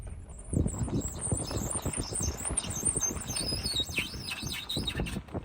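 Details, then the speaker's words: Tesla Model Y rolling slowly: sharp, high chirping squeaks in bursts from the front left wheel over road rumble, less bad at higher speed. Owner suspects gravel stuck in the brakes or a caliper; cause unconfirmed. "A squeak. It's definitely coming from the front left tire. Yeah, it sounds like it's coming from up here."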